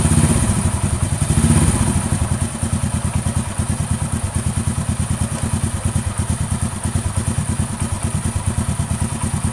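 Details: Honda Astrea Grand motorcycle idling after valve clearance readjustment (rough rhythmic noise was from too-loose valve clearance, not cam chain): steady even putter, no tapping from the head; normal smooth idle restored.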